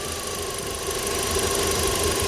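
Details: Audi A4 B7 daily driver with a rough idle: steady idle with a faint uneven stumble under a hiss and a thin whistle near 1 kHz. Squeezing and then releasing the hose where the lower PCV valve joins nearly stalls the engine, pointing to a broken lower PCV valve causing a vacuum leak.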